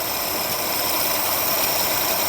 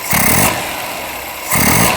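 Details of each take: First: Ceria/Kancil carburettor engine after its idle and primary jets were cleaned: steady, even, hissy intake roar with strong suction, idling smoothly with no misses or stumbles. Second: Ceria carburetor after tuning, accelerator pump deliberately held in during snap throttle: two throttle snaps, each with a brief lag before revs climb, a hesitation on tip-in because the disabled accelerator pump isn't squirting fuel.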